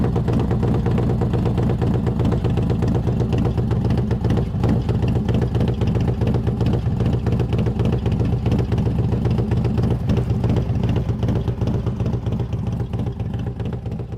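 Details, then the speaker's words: Kevin's Harley-Davidson trike after new cam and lifters install (dyno tuned, traditional Harley sound sought): deep loping V-twin idle with steady galloping low pulses; owner says sound is exactly what he wanted, even better, a healthy big-cam idle. "that sound is exactly what I was after. In fact, it's better. I didn't think it would be that good."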